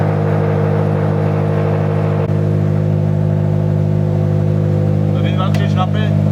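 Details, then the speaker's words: Subaru BRZ/Scion FR-S/Toyota GT86 after transmission removal and throwout bearing replacement: steady low idle hum with the clutch operated, no whirring or chirp from the release bearing anymore; normal idle. "okay so far so good car turned on I'm putting a frisky here started rolling a bit when I started losing the clutch I don't hear that they're all bearing noise anymore"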